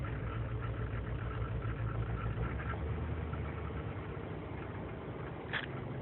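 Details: 2003 GMC Sierra Z71 5.3L V8 (non-flex fuel) idling unaided after overnight in single-digit cold: low stumbling idle with irregular dips; lean and misfire codes, owner suspects intake manifold gasket vacuum leak; runs fine warm.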